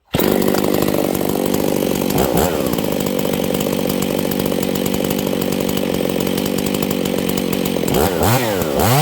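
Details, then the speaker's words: Husqvarna 268 chainsaw with a high-jet problem: screams flat-out with clean unbroken high note, no four-stroking at the top; running dangerously lean. "okay friends we have a hijet issue did you guys hear that this thing is going super lean"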